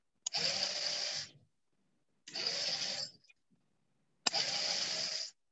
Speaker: Suaranya berisik ya. Inilah suara motor kalau Iya, Pak. kita menggerakkan motor. Kayak gini.